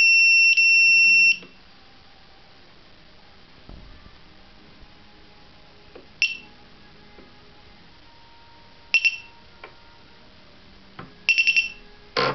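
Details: T580: high-pitched beeps in short bursts, some in groups of three, repeating irregularly after connecting a new flight controller; unexplained warning.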